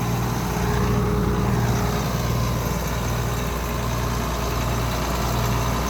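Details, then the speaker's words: John Deere 6620 Sidehill combine first start in over a year after much cranking, deep steady diesel rumble at idle with even beat, no knocks or misses; idling normally. "Okay, started up the combine, just letting it run and idle."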